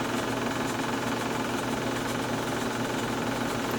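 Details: Chinese diesel heater running after its minute-plus start cycle (priming, glow plug ignition): constant fan hum with rough dry edge and soft rhythmic clicking from the fuel pump; worn blower motor ball bearings, needed replacing.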